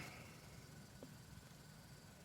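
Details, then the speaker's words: Gas fireplace after blowing out the small burner hole with compressed air: the pilot lit and held, giving a steady, even soft roar with no crackling, popping or dropouts. Normal burner operation after the fix. "the flame has lit and looks way more stabilized you can kind of hear that it's not crackling"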